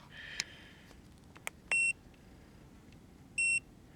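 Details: FNIRSI DWS-200 soldering station with small chisel tip: two short, clean high-pitched beeps about 1.5 seconds apart in quiet room; normal standby signal, heating to 300 °C.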